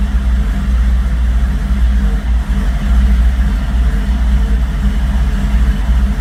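Low, lumpy idle that surges and sags unevenly every second or so, with a brief rev; the engine isn't running smoothly at idle.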